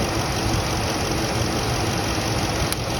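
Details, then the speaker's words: Truck idling steadily with a sharp snapping click as spark arcs through the failing insulation of an ignition coil boot, so not all of the spark reaches the plug; found while chasing a check engine light. "that's coming out of the ignition coil boost which means that the boot is failing the the insulation and when the spark spark plug gets the electrical signal from the distributor cap it's not all making it down to the spark plug"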